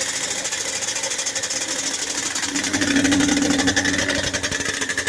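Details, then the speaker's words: Yamaha Banshee 350 two-stroke quad, first start after full top and bottom end rebuild and new clutch, on choke: fast crackly idle climbing and hanging high instead of settling; idle suspected set too high, not confirmed. "The idle might be too high. Sounds a lot better though. Good. Never idle like that before."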